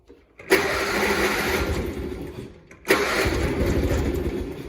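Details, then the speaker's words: John Deere 317 lawn tractor, year unknown, engine a little cold, not choked and not throttled: two cranking bursts of steady churning that never catch; hard-starting no-start, though it started shortly after. "Hold on, it seems to be hard to start for whatever reason. Okay, what's your problem now?"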